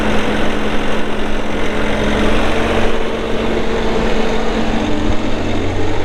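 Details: 2019 Bobcat S450 skid steer diesel, 1,941 hours: steady low idle with an even hum and no knocks or misses; engine running smoothly.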